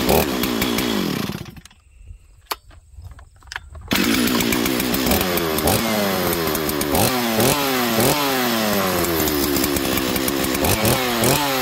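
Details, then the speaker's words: Chainsaw that had sat unused since last year, starting and revving: burbling, blubbering, uneven revs that sag and climb instead of a clean scream, running rich; owner unsure why and may need a new carburetor. "oo now it makes me want to fix this thing you hear how rich it is there friends not even pitting it I don't know why so I'll probably have to go to still one of these days and see how much a carburetor is for this saw"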